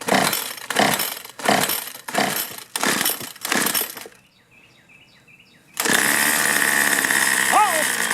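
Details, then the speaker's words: Troy-Bilt two-stroke string trimmer on choke/half choke, little fuel flowing through and fuel leaking; surges and dies in uneven bursts then screams at high revs; owner suspects clogged carburetor before repair: rough running from faulty carburetor. "all right let's check for spark and then uh not getting a lot of fuel pushing through here maybe the carburetor's clogged up"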